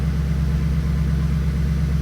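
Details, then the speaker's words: Stock 2002 Pontiac Trans Am WS6, 190,000 miles, check engine light on: low steady idle just after start with a faint occasional stumble, a mild misfire; brief possible lifter tick that went away. "all right let's see if this thing starts oh yeah little misfire but it's not bad"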